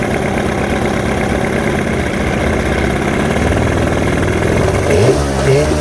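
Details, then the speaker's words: 1989 Johnson 40 HP VRO outboard on pontoon boat, first start after storage with linkage and cables hooked up: uneven, lumpy, stumbling idle with blipping, a little smoky and rich; owner suspects old stuff in the carbs. "okay a little smoky probably because it's got some old stuff in the carbs and everything sorry nick he's pumping that noise a little rich"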